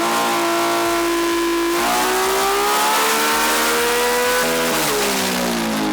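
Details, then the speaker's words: RB-engined race car with twin CDI boxes: hard climbing pull broken by choppy, uneven stutter; one cylinder misfiring under load, compression over 100 rules out compression or valves, plan to swap CDI boxes to see if it moves. "Switch the boxes around and see if it moves to another cylinder."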